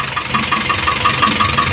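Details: Isuzu 4BC2 diesel idling with a sharp, regular knock, about five or six raps a second, over the engine's steady rumble.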